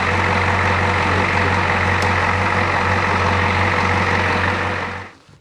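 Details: 1984 Ford F250 diesel idling after the failed brake vacuum pump was repaired: steady, even clatter at about 3.5 knocks a second; the pump now pulls 26-27 vacuum versus 12 before, and it is a healthy, settled idle.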